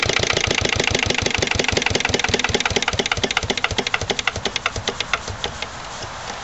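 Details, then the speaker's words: Lister LD1 single-cylinder diesel on a chilly morning, after a fuel filter change and bleeding. Slow rough thumping, beats spreading out as it winds down and fades. Owner suspects the injection system isn't right, possibly a missed bleeding step. "but I reckon we still got a problem with the uh the whole inject sy's not quite right hopefully we'll find out what a wouldn't it be nice if you could have it running that slow all the time would be pretty sweet"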